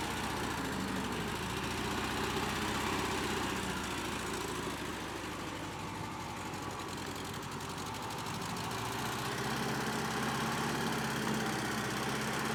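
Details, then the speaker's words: Cheap, hard-run Bobcat 610 skid steer with gas engine, said to crank every time and run good: steady, even low idle holding speed smoothly, no misses or knocks; normal idle. "it cranks up every time runs good no leaks"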